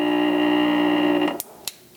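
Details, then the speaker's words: Ceiling fan, non-working unit: a steady mains buzz with no blade whoosh building as the rotor tries but fails to turn, then clicks as it is switched off. The motor stalls because the run capacitor has failed. "so the rotor moved you can see in these specific positions it's just buzzing it is just buzzing it's not really doing anything he's trying to turn trying to rotate but mostly it's just buzzing"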